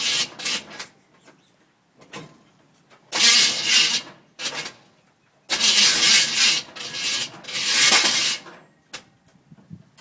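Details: 1971 Chevelle, rebuilt 350 small block with TH350 transmission. Several short bursts of starter cranking with pauses between; the engine never catches or fires: cranks, no start.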